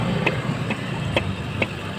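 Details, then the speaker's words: Honda Click 150i scooter idling after new bearings and other parts were replaced; a sharp metallic tick about twice a second over the hum, with play when shaken by hand, points to a worn side bearing. "ito yan yan lakas pa-side lakas din lakas ng lag ibig sabihin nito sira side bearing"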